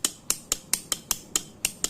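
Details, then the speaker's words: Motorcycle electric starter check with the faulty brake switches bypassed to the ignition-key wire: crisp relay clicks about four or five a second as the starter button is pressed; normal starter relay click, button-to-relay connection good. "nah ini berarti dari atas dari tombol starternya terkoneksi langsung ke relaynya. Jadi koneksinya bagus di sini ya."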